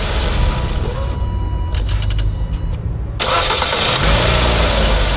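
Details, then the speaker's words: Car starter tested after replacing a failed Bendix (starter drive) that was scraping against the flywheel ring gear on cranking; in neutral, starter spins and engine catches cleanly each try, no scraping or grinding. "O sea, claro, arranca normal, pero el tema es que ya no va a raspar, no suena."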